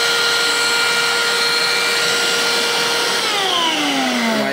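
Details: Kärcher WD 3 wet/dry vacuum after repair; it had been used without a filter, clogged with debris and vibrating: a smooth, even motor whine with no shudder or rattle, then the pitch falls as it spins down. Running healthy.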